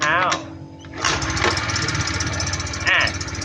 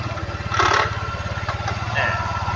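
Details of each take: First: Honda Click 110 carbureted scooter, with the starter one-way clutch removed to rule it out: over the steady running come high, sharp metallic chirps, the clutch housing cooling fins rubbing the crankcase. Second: Honda Click 110 carburetted scooter at idle with belt cover removed, engine running: steady, even putter and the earlier metallic chirp now gone; drive normal, though the aftermarket rear pulley set wobbles slightly.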